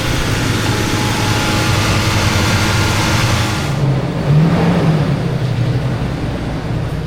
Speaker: for some reason when you disconnect the battery on this truck, it idles really high for quite some time before it learns everything. It doesn't normally idle that high, even when it's cold.